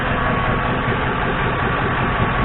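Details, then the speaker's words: 2002 Ford Crown Victoria V8, 147,000 miles, at operating temperature with a vacuum gauge on the intake: smooth, even low idle with no miss, knock or surge; vacuum about 20–21 inHg, a healthy engine. "you're on the normal zone about 20. keep in mind this is a well it's about 20.1 or so and this is a 147 o2 so i would say that's a healthy engine 147 000"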